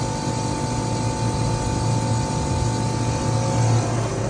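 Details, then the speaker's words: Old R22 ducted split system with piston expansion valve, outdoor unit running in heating after failed crankcase heater replaced and about 700 g R22 added: 3.2° evaporator, 15.2° pipe, about 15K TD. Steady even hum, faint fan and compressor tone, no knocks; normal running. "It's about 15 KTD here between our evap temp and our other ambient, so I'm pretty happy with that."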